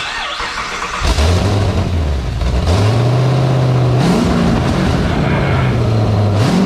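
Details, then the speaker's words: 1959 Chevy Apache twin-turbo LS3 after fixing ECU fuel pump relay trigger wiring: cranks briefly, catches at once, revs up and down cleanly and settles, smoking; V8 starts and runs normally. "all right so it does work it's not just yes I'm stoked"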